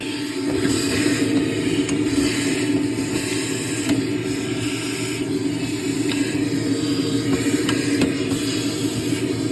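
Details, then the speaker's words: Garbage disposal after removing broken glass bottle pieces with vacuum, plugged back in: steady even motor hum with light whirr, no grinding or rattling of debris; running normally. "And I believe everything is out. But we're gonna turn it on again and see."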